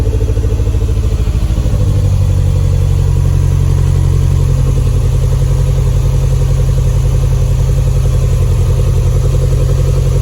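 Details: Toyota MR2 after new coil, fuel pump and rewiring, warming up at idle: low, steady idle with uneven, loping beat around two pulses a second; one cylinder missing.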